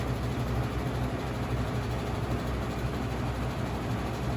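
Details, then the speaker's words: 1985-86 Lasko-made Super 3713 20-inch 3-speed box fan, shaded-pole 6-pole motor, before restoration: steady low hum with a thin whine and faint rattle; motor runs slow, whine pronounced at low speed, rattle partly from vibrating grilles. "so it runs but it's running kind of slow and it's rattling it's not very whiny on high speed but when it gets too low it's it's quite pronounced"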